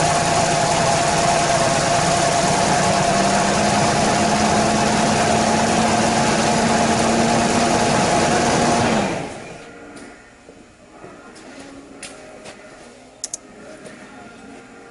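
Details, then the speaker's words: Ford Ranger bought cheap with a bad misfire, after refitting pushrod and rocker: even quick cranking about four beats a second, no tapping or clatter; compression now present and intake valve working, normal cranking. "We're going to crank this bad boy up and see where we're at."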